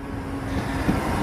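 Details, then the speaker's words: Jeep that just had its second power steering pump in a week: a thin steady whine over road and engine hum while driving; owner suspects the alternator or a main drive belt, maybe power steering, unconfirmed. "Jeep is making noise again sounds like it's the alternator or something like that one of these belts"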